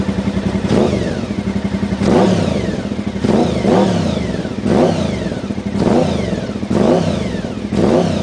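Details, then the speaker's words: 1992 Honda VFR 750 (RC36), 60,000 miles, after fixing a vacuum leak, replacing pilot screws and cleaning, carbs not yet synced: about seven quick clean throttle blips in eight seconds, rising sharply and dropping back without stumbling; crisp throttle response. "cleaning out the valves look at that that's some serious serious improvement there"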